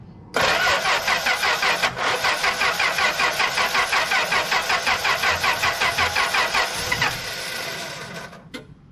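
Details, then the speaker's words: 1964 Plymouth Belvedere slant six, three-on-the-tree, sat about 20 years: steady cranking with even compression pulses near 160 a minute, no firing; coil wire arcing to the inner fender, leaky coil wire suspected; crank no start, possibly weak spark. "so I guess this is a leaky coil wire so I made another one it probably needs all new plug wires but I just made the coil wire so maybe that's why it's not getting spark to the spark plugs"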